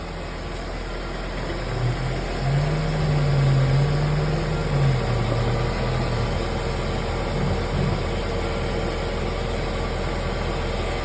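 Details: Car driving with a humming noise: a low, steady drone that swells briefly, traced by stethoscope to the worn front right wheel bearing; the noise disappeared after bearing replacement.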